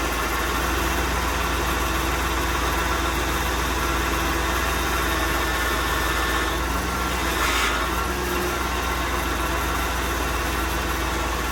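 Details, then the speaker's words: 1995 Oldsmobile Aurora, steering very hard to turn: engine idles with a steady whine that happens when the wheel is turned; power steering pump needs replacing. "so the steering is incredibly difficult to turn and it makes the whining noise when I turn the wheel which is a very familiar sound I've experienced with my envoys take a listen to the sound it makes"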